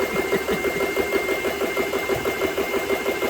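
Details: GX CS3 air compressor, about nine months old, after repair of breaker tripping and a faulty switch: steady rapid pumping beat, about three strokes a second, even under load while filling; normal running.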